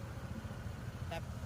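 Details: Honda PCX160, 27,000 on odometer, side case (CVT) cleaned and adjusted to cure idle noise and knocking on and off throttle: low steady idle hum, no rattle or whir, one short click; quiet and healthy.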